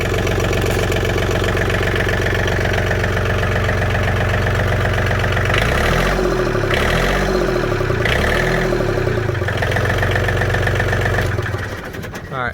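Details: John Deere 4410 three-cylinder 55 hp diesel tractor after no-start fuel fix, gelled fuel still being bled from tank petcock: smooth, steady clatter at an even idle, no stumbling or misses; normal diesel idle.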